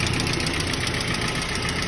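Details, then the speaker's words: ZMZ 406 engine, warm at about 75–80°C, idling around 900 rpm with oil pressure low: fast light metallic ticking steady with engine speed from collapsing/stuck hydraulic lifters; several lifters press down, one seized; replacing all 16 advised, raising pressure may need another head. "Ну вот они, вот эти вот петухи и цокают вот так вот."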